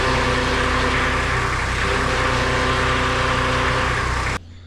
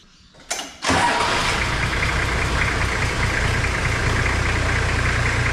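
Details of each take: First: Toyota Landcruiser HZJ75 diesel idling with reservoir cap off, steady grinding whine over the engine; power steering pump cavitating with aerated oil though level is full, likely damaged by earlier running low on oil, pump to be replaced. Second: Toyota Landcruiser HZJ75 diesel after power steering pump replacement, refilled with 600 ml of oil and started with the wheels on the ground: steady, even idle with no whine or grinding from the pump; normal idle.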